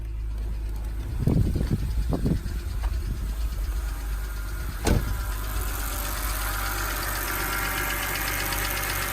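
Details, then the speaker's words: BMW 328i E92 petrol six at idle after replacing spark plugs, ignition coils, serpentine belt and valve cover gasket to fix misfires: steady even low hum, no stumbles, engine not shaking. "at the engine it's not shaking at all"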